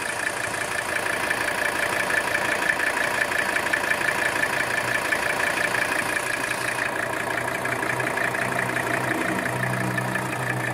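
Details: 1983 Mercedes-Benz 300TD diesel at idle during blowby test, showing no blowby: even, steady diesel clatter with no misses, surging or puffing; normal idle.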